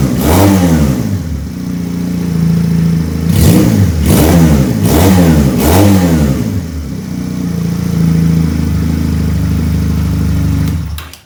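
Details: Benelli PE 250 FI fitted with a Suzuki Futura MAP sensor in place of its faulty one: steady, even idle with four clean, quick throttle blips rising and falling smoothly, then settling to stable idle; running healthy.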